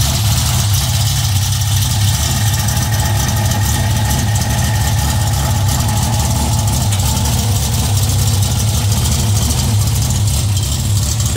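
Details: VW Beetle with Weber 44 IDF carburetors, new emulsion tubes and velocity stacks, and a newly installed CB Performance Black Box on an unknown map: deep, steady, even idle with a strong rumble; normal idle.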